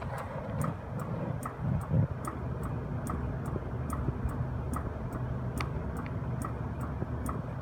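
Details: Copeland compressor after pumpdown, following replacement of a CoreSense module whose relay stuck open, draining acidic oil and changing the drier; crisp, even ticks two to three per second over a low hum, source not yet identified.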